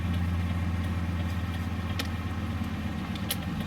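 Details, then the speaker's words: Ford Excursion/Super Duty with non-LED bulbs, diesel idling: soft, even flasher clicks about every two-thirds of a second as the right turn signal flashes at the normal rate. The left side hyper-blinks depending on steering-column tilt, from a loose column connection. "okay see right side blinks like it should"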